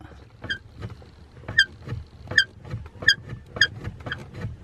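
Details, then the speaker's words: BMW E60: sharp high chirp repeating with each pedal stroke about twice a second, only near the top of the pedal, over a quiet cabin; suspected clutch pedal pivot or pedal box squeak. "okay so from that squeak i'm thinking that it's something to do with the clutch pedal itself or something on the pedal box"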